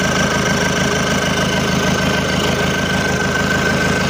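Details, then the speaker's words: Isuzu Panther 2.5 diesel after overhaul, liners, rings and non-standard pistons replaced, turbo and intercooler upgraded: even, steady idle clatter with a smooth rhythm and no misses, knocks or hiss; no smoke, no blow-by, no leaks. "dan ini udah kita hidupkan alhamdulillah aman enggak ada asep enggak ada blobai"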